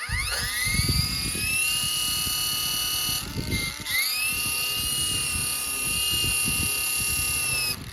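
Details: RC ERA C184 MD500 100-size helicopter after reassembly, brief start-up test: motor whine rises quickly to steady high pitch, dips once with throttle, then steadies; smooth spin-up, sounds fine.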